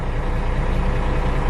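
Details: Ford F800 dump truck after a wiring fix for a no-crank, clicking, erratic-gauge fault: deep, even idle with a steady low throb and no misses or knocks; the engine runs normally.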